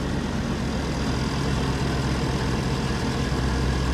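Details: 1992 Range Rover Vogue LSE V8, new air suspension compressor replacing one likely killed by an oversized 50 A fuse: steady even drone with low hum, no rattles or knocks, lifting the vehicle. Normal air suspension compressor operation.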